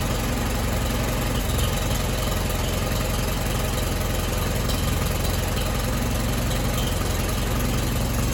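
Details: Allis Chalmers WD tractor after full rebuild and final assembly, leaking manifold studs fixed: even low chug at idle, about three beats a second, no knocks or exhaust ticks; engine idling smoothly.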